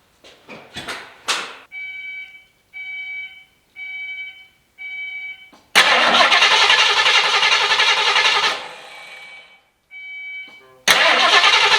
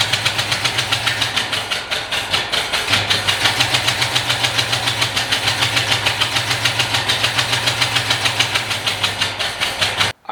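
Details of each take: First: Ford Foxbody that didn't run, fuel hose cut so no fuel, oil present: starter turns the engine quickly and evenly with no firing; healthy cranking, no start. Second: Carbureted Fox-body Mustang, not run for a while, started by pouring fuel into the carburetor: rough, lumpy running with uneven pulses about three per second, idle going very high, then cutting out.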